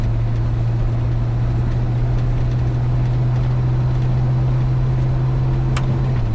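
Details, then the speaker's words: 1973 Chevy C20 with swapped used 4L80E automatic, shifting into fourth then torque converter lockup: steady drone under load, pitch drops a step as lockup engages; clean shifts and lockup. "Fourth. And lock up. That's lock up. And then you turn that back off. That's it. It works."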